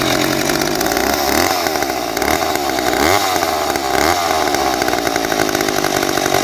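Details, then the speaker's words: McCulloch 10-10A chainsaw, free, cutting dry white oak: two-stroke keeps screaming at a high, wavering rev and never drops to a low idle; owner suspects it needs a carb kit. "it's not idling right i think it needs a cob kit um i can't get it to slow down to the speed that i want"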